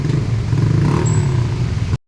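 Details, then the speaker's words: Single-cylinder motorcycle after repair: idle that rose, dropped and stalled is now steady, a strong even low thrum with no misses; cause was a lifter (tukod) with no valve clearance, now adjusted. Normal running. "ayan may menor na si boss oh >> ganda na ng menor tukod lang yun sir kasi walang clearance"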